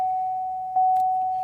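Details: 2004 Pontiac Grand Prix, about 67,000 miles, no-start with theft system and charging system errors, clicks when trying to start: steady mid-pitched dash chime with a short break, then cuts off; caused by a bad battery cell, fixed by replacing the battery.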